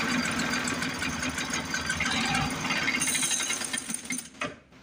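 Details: 1950s Lawn-Boy bricktop two-stroke with low compression, cleaned points, fuel jet opened: rough rapid popping run that sags and cuts out after a few seconds on carb cleaner; fuel starvation through the carburetor suspected, carb may need pulling.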